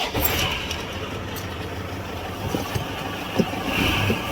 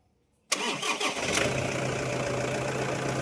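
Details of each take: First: Toyota Hilux idling before repair: scraping, rubbing rasp over a high whirr; noise disappears with belt removed, traced to alternator pulley side, loose alternator fan rubbing its housing. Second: Toyota Hilux after alternator repair (wobbling part rubbing housing, worn bearing): quick clean crank and catch, then smooth steady idle with no whine, squeal or bearing rumble; noise gone.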